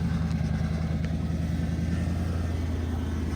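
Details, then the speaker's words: 1998 second-gen Lexus LS400, 250,000 on the clock, just started after a battery swap: steady idle with a faint continuous hum, power steering pump whining; fluid low, leaking from the broken vacuum solenoid, a common LS400 leak. "Power steering. Yep. 250,000. I'm gonna need something about that pump though. I don't know how easy that's to get to."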